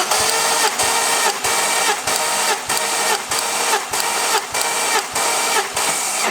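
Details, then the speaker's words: 2nd-gen Ford Focus ST being restored: starter cranking during compression test on cylinder one, with even, regular pulses about 1.5 per second; gauge reads just under 150 psi, judged good compression (around 140 psi considered decent). "that's just under 150 psi that to me seems like it's a good compression"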